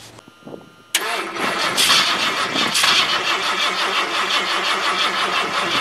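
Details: 1978 Ford LTD cranking in about -10°F cold after battery charging and starting fluid: starter churns steadily about three turns a second but the cold-soaked engine never catches or fires.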